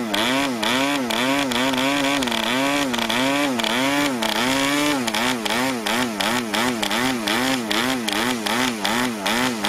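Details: Brand-new PAW 40 TBR model diesel on its first run, break-in fuel mix, 12x5 prop, clamp mount: buzzy note hunting up and down two or three times a second, never settling; running rich and under-compressed.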